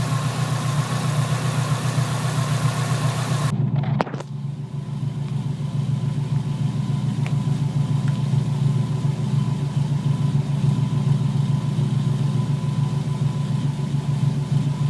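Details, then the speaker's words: Subaru SOHC EJ257 hybrid rebuild (low-mileage STi block, new pistons) at idle after a custom stainless up-pipe install, running rich without upstream O2 sensor: steady low burble after a brief cutout, even rhythm, no tapping or piston slap; healthy. "Motor sounds perfect. No piston noise whatsoever."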